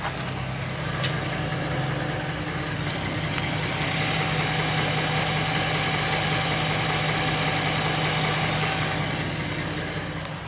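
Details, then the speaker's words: 2020 Ford Raptor at smooth idle: thin, steady single-pitch whine said to be the transmission; the other, rusty Raptor has the same whine but quieter. "a little bit of a whining noise that you hear see if this makes sense to you"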